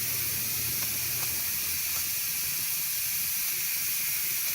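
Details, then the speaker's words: Pressure canner heating, vent on exhaust before display shows E10 countdown and switching to airtight: steady, even steam hiss from the vent, no sputtering or pulsing; normal venting. "Alright, now you can see the whole canner. Countdown continues. You can hear the steam. It seems pretty steady."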